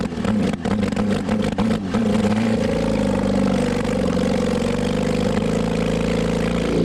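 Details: Mid-70s Honda CB750 SOHC 750cc engine swapped into 1980s Suzuki Quad Sport 230, no real exhaust, worn points ignition; lumpy choppy blips then coarse drone, running horribly; carburetors likely still faulty, not confirmed; rough running.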